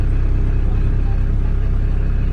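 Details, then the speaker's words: E91 wagon at idle, heard inside the cabin: a heavy, throbbing low drone with a weird cabin vibration. A scan flagged the MAP sensor; owner assumes the mass airflow sensor is junk and plans to install a new one. Cause not confirmed. "Like, you see, I get this weird vibration in here. You know what I'm saying? I don't know if you guys hear that. It's getting like a weird cabin vibration."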